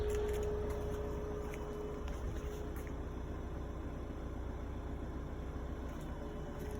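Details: Kia Ceed CRDi 1.6 136bhp diesel idling, heard at the rear of the car: a thin, steady whining hum whose pitch dips at times, from a failing fuel pump that was later replaced under warranty.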